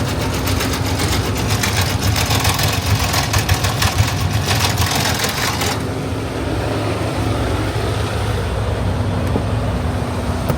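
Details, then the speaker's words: Diesel running rough after it would not start while loading pipe; a new fuel filter did not fix it. Uneven, loping, stumbling, lumpy beat, possibly fuel starved; owner suspects a failed fuel pump. Not confirmed. "So, we tried to start this thing when we were loading these pipe. Back up. And it was running rough, kind of like it is right now."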